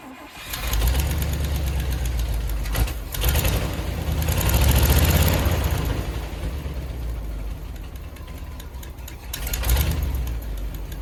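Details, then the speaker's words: 1977 International hay-retrieval truck, leaking coolant or oil (head gasket suspected). It catches instantly, then a sharp rapid ticking rides the idle from a bad exhaust leak, worst on the other side. "all right let's go take a look at that fired right up instantly heard the terrible exhaust leak from there hear it but the worst is on the other side"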